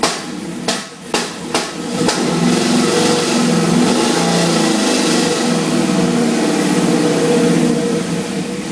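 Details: 1969 Camaro with LS1, head/cam and 36 lb injectors, newly fitted 102 mm throttle body and intake, not retuned, TPS at stock position; heard at the exhaust with sharp, irregular pops at idle. Rotating the slotted TPS reduces the popping.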